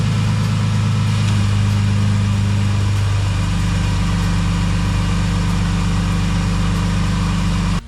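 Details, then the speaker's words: 2000 Dodge Intrepid, long-sitting, idling after new belts and new battery: steady, even idle with a smooth low drone and no squeal or chirp; belts good and tight, engine healthy. "right. So, the belts are good and tight. There's no squeaks coming out and stuff."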